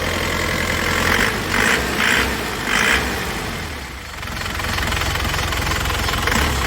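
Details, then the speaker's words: 2002 Isuzu Panther Touring manual turbo diesel with turbo timer, no oil seepage, idling after start: steady, even clatter with a crisp regular beat and no odd knocks; normal diesel idle. "Mesinnya istimewa lur, mesinnya sehat dijamin, sudah ada turbo timernya,"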